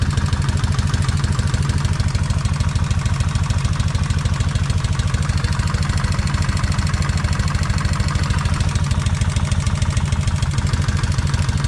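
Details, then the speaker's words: Kawasaki Vulcan 1600 V-twin at idle after the owner drilled the rocker oil bolt through to increase oil flow to the rocker arms: regular light tapping, likely valvetrain, about three a second on every beat; still tapping, front cylinder quieter than rear. "Okay, the front is not tapping as loud as the rear."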